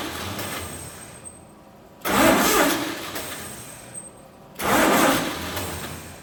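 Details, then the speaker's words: 1948 Chevy truck engine, not run in 30 years, diesel in the oil pan, first start attempt on a 12-volt setup: two two-second cranking bursts that never catch; no spark because the cheap ignition points burned. "cheap Chinese points are uh burned already because they don't like 12 volts all right let's see if we got fire now"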